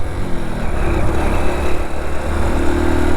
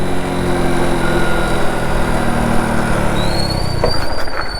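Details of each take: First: Motorcycle riding steadily in third gear, then fourth at 40 km/h: a low engine drone on the move with no jerks, knocks or change in note. The bike pulls smoothly in gear. Normal running. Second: Motorcycle at 40 km/h in third gear downshifted with the clutch only partly pulled: steady engine drone, then a sudden jolt with rattly transients and a pitch jump as the gearbox clunks from the improper downshift.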